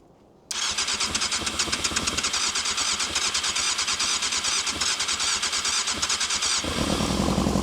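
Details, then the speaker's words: Abandoned 1998 Yamaha YZF600R Thundercat, sat since 2013, first start attempt: cranks then fires raggedly at about three pops a second on brake cleaner but won't sustain; has compression and spark, carbs need rebuilding. "But the cars definitely need rebuilding. >> And then get it popping on some brake clean."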